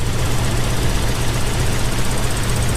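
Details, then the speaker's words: Toyota 4Runner first start after build, on a jump box: low steady idle with a slight uneven shake and a miss on revving, one skipping cylinder; rough idle attributed to ignition timing still needing adjustment. "I still have to adjust the timing a little bit. You can feel it in the motor. It's a little rough,"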